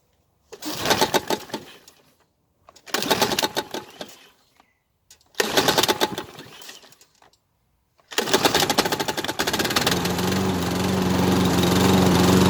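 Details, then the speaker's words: Mower salvaged from a scrap pile, unprepared: three pull-start bursts, then it catches and runs unevenly with a ragged, sputtering note and smoke. The owner suspects the exhaust is filled with oil and may drain it. "there we have it it seems to run which is a result i strongly believe the smoke and oil we're getting is probably what i suspect the exhaust is absolutely filled with oil"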